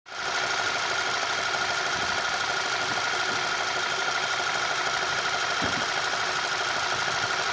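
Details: 1.8 TSI engine running: a light, uneven tapping rides over a steady engine hum with a faint whistle; engine knock of unknown origin.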